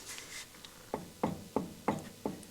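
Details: Harley Electra Glide Ultra Limited, rear wheel off the ground, rocked side to side by hand: six sharp, even clunks about three a second, with the disc and wheel moving separately from the ABS drive on the axle; worn rear wheel bearings.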